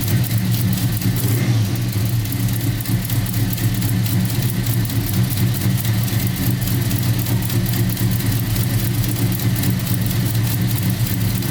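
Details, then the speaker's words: 1990 Chevy Camaro, SBC 350 V8 with Flowmaster mufflers, first start after Holley Hyperspark distributor, coil and ignition box install: deep even V8 rumble, steady beat, no ticks or stumbles; revving well, normal running. "I don't want to run too long because I don't have anything set up running wires that got that fire but it sounds good it's revving really good"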